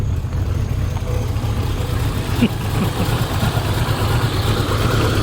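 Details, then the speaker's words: 1989 Jeep Cherokee XJ Renix 4.6L I6 or 1988 Comanche 2.5L I4, just jump-started with a Lokithor J400 at about 13 volts; heavy uneven loping chug right after start, sounding far too rich; rough idle. "Oh yeah. All of the fuel. Oh, poor guy broke a little bit there. Sheesh. That is beyond rich right now."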